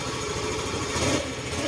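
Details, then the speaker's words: Yamaha MXi 125 scooter that had run dry of oil, after refilling coolant and oil: soft even idle, no longer the connecting-rod-like metallic knocking, no longer smoky; check engine light on only from the broken speedometer. "Ayan, tahimik na uli siya. Hindi na siya ano, hindi siya hindi na siya tunog connecting rod. Nakakala mo may bakal na nag-uumpugan."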